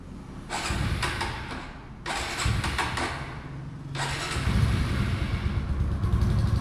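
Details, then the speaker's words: TVS Raider motorcycle, parked about two days and already serviced repeatedly, hard to start: several rough bursts of running that catch briefly then die, bike won't keep running; petrol level checked, cause unknown. "Start ಆಯ್ತು of ಆಯ್ತು ಈಗ"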